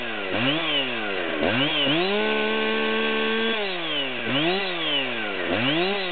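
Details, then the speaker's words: Chainsaw (462, 572 or 660 comparison; the 462 has a larger air filter, the 572 has flow mods) at no-load high idle around 13,840 rpm: screaming revs that sag and surge every second or so, a high-speed miss. "So we can hear the miss at high idle still. We're at 13.84."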